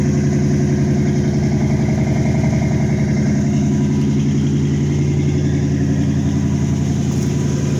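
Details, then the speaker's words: Chevy Caprice cold start after alternator installation, jump-started from another car on third try: deep, steady, loud idle with even exhaust pulse, no knocks or misses; healthy cold-start idle, rear exhaust audible. "We're definitely running. Y'all hear them guns on the back? Cold start."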